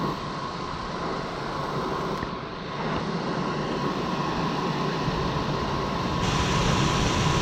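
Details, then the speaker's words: Rooftop HVAC unit blower after belt work and pulley adjustment to cut start squeal: steady, smooth airflow rush with faint even hum, no squeal or slap; a lot quieter than before, belt still noted for replacement; normal blower running. "lot quieter than it was"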